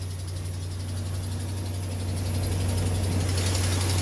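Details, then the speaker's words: Ram 2500 5.7 Hemi, 125,000 miles, cold first thing in the morning at idle: light steady tick about four a second, not a lifter/camshaft Hemi tick; suspected exhaust manifold stud/nut leak. "okay it's first thing in the morning cold that is not a lifter camshaft type tick"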